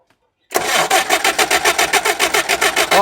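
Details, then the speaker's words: Car left in a garage about 20 years, first start attempt with fuel fed from a makeshift drip tank, battery weak: starter churns about three to four beats a second without catching; cranks but won't start. "Yonmaydi. Yo'q qolaqqa. Akkumulyator uzoqqa bormaydi."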